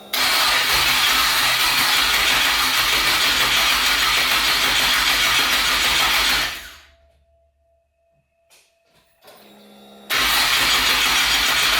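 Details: Twin-turbo 5.3 V8 New Edge Mustang, first start after rewiring: long steady crank at about four pulses a second that never catches, then a pause and another crank; battery dropping to about 8–9 volts.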